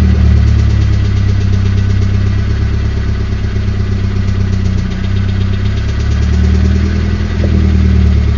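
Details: Nissan SR20DET at low idle: faint steady tapping about four a second over the engine hum, disappearing at 1250–1500 rpm; owner suspects the VCT gear after new rocker arms, lifters, fresh 5W-30 oil and coil checks didn't cure it.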